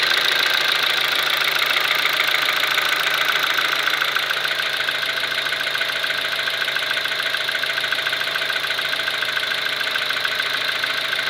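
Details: Kia Ceed with G4FG engine knocking at steady idle: sharp, very regular internal knock about three and a half per second.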